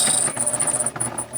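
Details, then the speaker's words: Sewing machine stitching: a thin, very high squeak pulses about six times a second with each stitch over light mechanical clatter; machine feels less powerful than it used to, cause unknown. "and I have to listen to this squeak while I do it."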